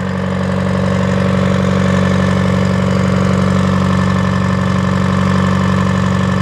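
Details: Detroit diesel that sat a long time, fuel air bled, just started and warming: even regular beat about three pulses a second with a steady drone; oil pressure up, charging, no smoke, belts loose; normal idle.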